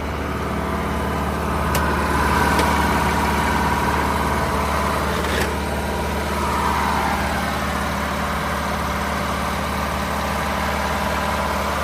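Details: 1979 MCI MC9 coach, Detroit 8V92 two-stroke diesel, about 200,000 miles, recorded at the rear engine: steady, even diesel drone at fast idle with smooth low rumble and no knocking; runs healthy.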